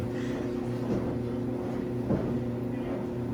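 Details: Samsung dryer after a repair to cure a thumping noise: quiet, even drum hum with only faint, irregular light bumps and no heavy rhythmic thumping; runs normally after repair.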